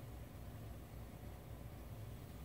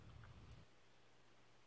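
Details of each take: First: NXR propane stove burner after sanding the warped bottom burner piece that let air in and caused continuous igniter clicking: soft, steady low flame roar with no repeated clicking; burner lit and running normally. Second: NXR propane stove burner igniter snapping about every 1.25 seconds without the burner lighting; a warped bottom burner piece lets air in, and sanding it flat fixes it.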